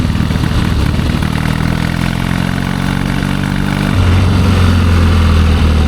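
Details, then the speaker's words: 1972 Triumph Bonneville 650 twin, long unridden, after a rough ride: lumpy, uneven idle with a loose irregular beat, running really rich; owners wonder if a choke is hanging up, then doubt it. "Really rich, isn't it? Runs terrible. Yes, it does."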